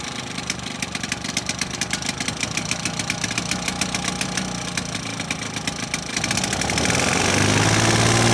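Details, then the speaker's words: 1980s Victa two-stroke lawnmower that had become hard to start, first pull after replacing the old spark plug with a new one; crisp, even firing that smooths out as it settles, starts and runs cleanly, healthy. "so there you go folks as simple as popping a new spark plug in and this victor two-stroke lawn mower from the 80s started first pull there"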